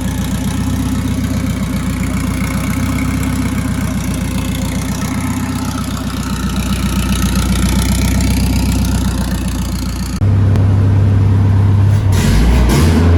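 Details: Built turbo Volvo wagon drift car on MegaSquirt, harness firing order corrected by crossing plug wires: steady, regular low idle pulse, no misfire or stumble, even firing until a handling thump near the end; engine runs right.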